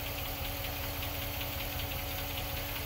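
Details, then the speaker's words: 2006 Jeep Commander with 5.7 Hemi V8 at idle: a light, steady tick about four times a second over an even idle, the typical Hemi tick; owner treats it with Lucas upper cylinder lubricant fuel additive, exact cause unconfirmed. "Hemi tick. So this is the 5.7 Hemi. It's an 06 Commander."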